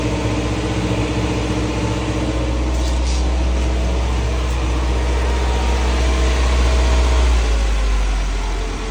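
Steady, even low idle on choke at roughly four beats a second, no knocks or misses; healthy running engine.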